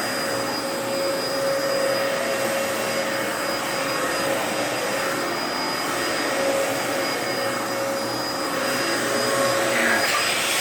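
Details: 2004 Dyson DC14 Animal vacuum, fixed up and on its first run since a new HEPA filter: a steady roar with a thin constant whine. The owner suspects the motor bearings, saying they sound a bit funky after a while.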